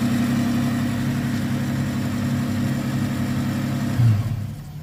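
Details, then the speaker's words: 1995 Nissan pickup 3.0L V6, automatic, about 441,000 miles, previously cutting out when warm, after PCV and idle adjustments: steady idle held slightly high, smooth low hum, no misses or knocks, then shut off; normal idle. "running good finally this engine has almost a half a million miles with the odometer 400 and almost 41,000 miles on this thing running strong as ever automatic Barney the Beast"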